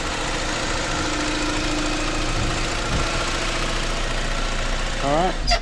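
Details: 2009 BMW E87 118i N46 after replacing the Valvetronic motor and eccentric shaft sensor for rough running, stalling and fault 2851: smooth, even idle with a steady low hum and no knocks or misses, then a brief rise; running fine.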